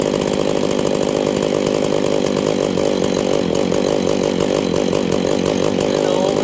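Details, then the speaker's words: Husqvarna 268 chainsaw at a steady buzzing idle while the low-speed jet is turned between rich and lean stumble points, one full turn apart, then set halfway plus slightly rich; carburetor low-speed mixture adjustment. "okay did you guys see that it was one full turn all the way out until it started to get too rich and wanted to die then I turned it in until it wanted to die that was one full turn from lean to Rich"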